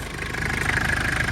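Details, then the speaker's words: Healthy cold-start idle of a 1996 Mitsubishi Delica L400 Chamonix with the 4M40 2.8 L intercooled turbo diesel, automatic, 107,231 miles. Fires right up after glow plugs, no smoke. Even, quiet diesel clatter with a thin whine from the new turbo, no clanking. "Fires right up. It's a cold start, no issues, and no smoke. Let's see, it runs real quiet, real nice. Like you hear that new turbo whining. Sounds good. And engine's real quiet."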